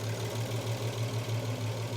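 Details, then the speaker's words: Restored VW Passat R36 idling with a deep, even thrum and no knocks or rattles. There are no leaks and no engine management light, the timing chain seems okay, and the engine rocks less since the dog bone mount was fitted. "got no leaks on the floor we've got no engine management light as well so Tim and chain seems to be still okay the rocking motion is a bit better now as well now that the dog Bone's on so maybe that was the"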